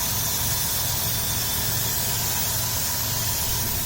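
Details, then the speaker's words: Dodge Grand Caravan 3.3 L, salt-covered engine in winter, heard at the engine bay: even, steady idle, low smooth rumble, no knocks or ticks over the hiss. Healthy normal idle before shutoff. "but 3.3 liter nice and smooth no knocks or anything"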